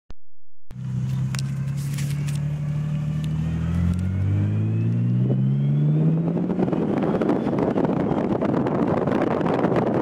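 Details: Nissan 300ZX twin turbo with new 98+ JDM OEM manual transmission, 3,000 miles, Redline MT-85 fluid: pulling away in low gear, whine rising with road speed; faint in neutral since install, now loud in low gear and on 1st-gear deceleration.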